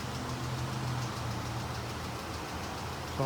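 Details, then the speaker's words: 2014 Ram 1500 3.6L V6, recorded under the truck at idle: light, fast ticking from the left valve cover in time with idle; a bad lash adjuster was found under the valve cover. "Ticking noise appears to be coming from the left side valve cover. I'm thinking about like a roller lifter or rocker arm type noise."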